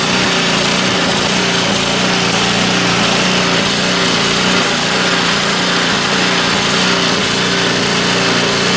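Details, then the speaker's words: Neglected snowblower that sat outside since last winter, treated with fuel stabilizer, first start: small single-cylinder engine buzzes at a steady, even speed with no surging or stumbling; runs cleanly without needing teardown. "well this video just got a lot shorter than I was expecting it to be I was expected to have to tear this thing apart"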